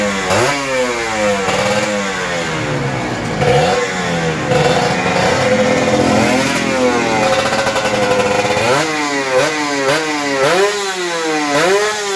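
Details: Kawasaki Ninja RR 150 two-stroke after service: before, it pulled weakly, stuttered, the KIPS stuck at some rpm and fell slowly, and the throttle hung. The carb throttle slide's sides were sanded smooth. Now revs climb and fall cleanly with no stumble; power and sound improved.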